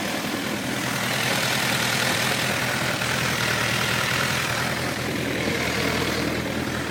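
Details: Honda CBF 1000 F motorcycle at idle, recorded from different sides. A loose, uneven tapping knock, roughly four per second, under the steady rumble; source not yet pinned down.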